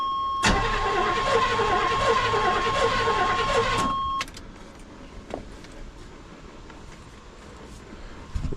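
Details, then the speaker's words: 1989 GMC Sierra 1500 single cab stepside, sitting about 10 months; starter cranks steadily, about four turns a second, engine spins over well but never catches; cause not confirmed. "she sound like she want to do something sound like it's turning over real good"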